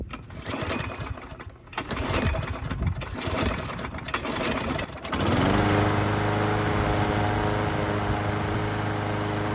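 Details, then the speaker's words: Murray mower after a new carburetor and a balanced, sharpened blade: after handling noise it catches and settles into a steady, even drone with no misses or surging; runs healthy. "We'll start it up real quick, see how it runs with the balanced and sharpened blade."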